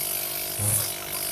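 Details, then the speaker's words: DIY tyre pump built from a scrap refrigerator compressor block, cut open, welded, refilled with new oil; running outdoors on a step: steady quiet hum with strong air hiss, no knocking; compressor runs normally. "Máy chạy cũng khá là im, còn cái block này nó to và chạy khá là im."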